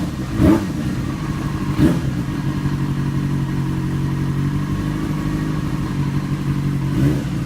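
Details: 2008 Yamaha FZ6, 49,000 km, held at 2,000 rpm after sitting some hours off; steady low drone with occasional loud clunks a second or more apart; abnormal engine noise, cause unknown.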